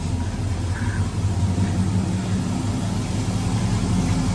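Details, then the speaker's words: 1979 Toyota with an LS V8 swap and Holley Terminator X Max, fired up in neutral: a low, steady, quiet burble with an even beat and no misses, knocks or ticks. It runs extremely well; the alternator is failing and the cheap headers may leak slightly. "So, runs extremely well. My battery volts, my alternator's on its way out, but another day."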